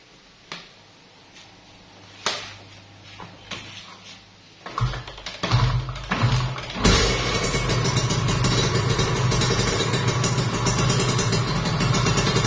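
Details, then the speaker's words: Kawasaki Ninja RR two-stroke, overbored, block and piston check with fuel fed by hose: a few sputtering catches, then fires into an even, crisp buzz revving freely, no bottom-end knocks or rattles; normal running. "Ini untuk mesinnya halus banget ya bosku. Dengar ya, ini halus banget."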